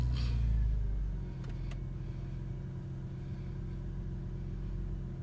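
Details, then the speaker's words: 1999 Porsche 911 Cabriolet flat-six at about 60,037 miles, start-up and idle: brief louder catch then steady, even low rumble with no knocks or ticks; healthy, battery, starter and charging tested good. "I didn't hear anything abnormal starting was it was somebody healthy"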